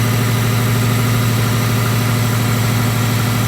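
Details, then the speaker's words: Neglected Subaru Impreza WRX non-runner project, long-sat, just revived with oil and water checked: steady even idle with smooth low hum, no knocks, misses or rattles, while warming up. "i've checked the oil the water everything seemed fine that really does sound well we'll let it warm up a little bit and give it a couple of reps"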